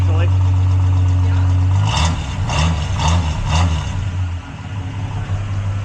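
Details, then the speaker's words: 1973 Plymouth Scamp after a new muffler and tailpipe, fired up once the battery was reconnected: it catches after a brief crank and settles into a steady, even low idle, slightly louder than before, with a smooth mellow exhaust rumble and no ticks or rattles. "Nice and reasonable. I like it."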